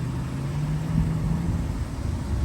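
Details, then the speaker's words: 2005 Cadillac Escalade ESV Platinum V8 at pre-purchase inspection, long-sitting vehicle: steady, even low rumble at idle, no knocks, ticks or radiator hiss; idling smoothly. "the radiator is not hissing it's not making any noise it's not making any funny sounds none of that is happening um it's running guys you can hear it for yourself that it's running"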